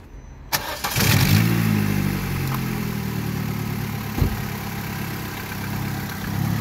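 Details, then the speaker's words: Vauxhall Astra H 1.4 SXi petrol with replacement used engine after top- and bottom-end damage, first startup: quick crank, catches at once, flares then settles to a steady even idle without knocks or rattles. "so I think about 800 pounds so we're gonna do the first startup have a listen guys"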